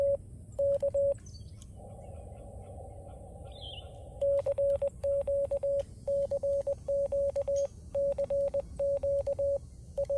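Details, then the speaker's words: FX-4CR transceiver sending CW: keyed steady mid-pitch sidetone with sharp scratchy clicks at element starts and ends; audio artifacts only when transmitting CW, not receiving, so not believed to be a loose connection; cause unknown. "you'll hear the other issue and that is the issue of audio artifacts it just sounds like a scratchy speaker that's not what it is because I only get that when I'm transmitting CW"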